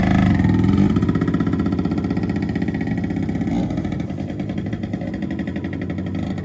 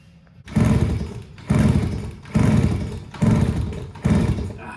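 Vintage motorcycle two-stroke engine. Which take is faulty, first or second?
second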